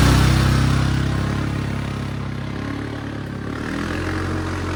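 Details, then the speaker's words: Suzuki King Quad 750 ATV, which won't restart until fully cooled and dies off throttle, with battery voltage a little low; starts up with little effort into a steady single-cylinder thump and even idle, no stumbling or dying, running normally. "But started up. Didn't take much of an effort at all there."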